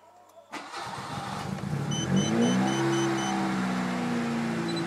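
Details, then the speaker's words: Mitsubishi Lancer engine tested with a customer's ECU: cranks and catches, holds slightly wavering raised revs only with throttle held; on release rpm drops and it stalls, showing faulty auto choke idle control. "tuh pedal gas saya lepas rpm-nya e dia langsung drop dan mesinnya mati"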